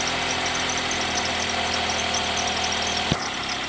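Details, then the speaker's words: 2008 Ford Escape 2.3L at idle: high, thin belt chirps about four times a second, quieter once warmed up; the serpentine belt, tensioner and idler are being replaced as the suspected cause. "we've got a squeaking noise up here, and I'm going to go ahead and crank it up and see if we can get it on video here. Of course, it quietens down a little bit after it starts running for a little bit, gets warmed up."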